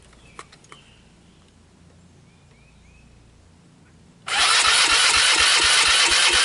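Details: 2005 Polaris Phoenix 200cc four-stroke CVT ATV, old/cold start after jumping the solenoid: quiet clicks, then the small single abruptly catches and runs loud on starting fluid; no fuel reaching the carburettor.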